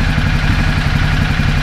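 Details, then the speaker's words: 2010 Ducati Multistrada 1200 after fitting new high-capacity battery and starter cables: faster cranking and a start in about half the time, then a lumpy but even twin-cylinder idle with a steady beat and no clatter or misfire. "well i'd say so start it up probably in half the time and the crank over speeds a little bit faster"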